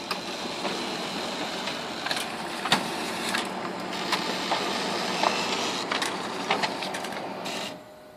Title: Dell Grinding Noise